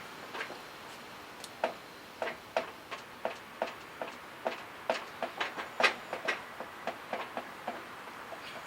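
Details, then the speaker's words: Ford Bronco rear axle Detroit Locker, raised off ground in neutral: wheel turned by hand gives crisp ratcheting clicks about three a second while driveshaft and other wheel stay still; normal unlocked freewheeling as when cornering. "okay see that tree spinning hear the ratcheting sound the drive shaft's not turning the other wheel's not turning it's just freewheeling right now okay it's unlocked going around the corner that's what it should be doing"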